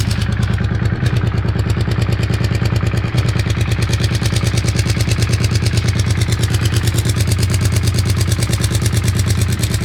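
Even idle with a steady fast clatter, roughly three ticks a second, all through; something inside is knocking, cause not pinned down.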